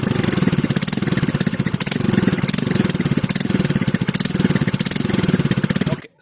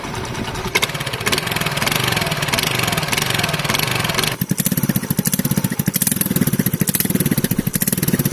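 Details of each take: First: TVS scooter at idle before shutoff with the stock silencer: loud, sharp, rapid exhaust pulses with a raw crackly edge from a leaking exhaust bend pipe, later welded and the bend pipe replaced. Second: TVS scooter after welding the exhaust and replacing the bend pipe to the silencer: even, regular putter at idle after a throttle blip, no rasp or leak; exhaust sounds sealed and normal.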